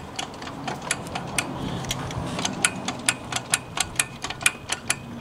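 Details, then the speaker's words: Brand-new Quantum 4Front powerchair, stopped and rocked: sharp uneven clicks about two a second from play in the chair; loose parts, attributed to poor assembly. "hear that clicking that is loose parts"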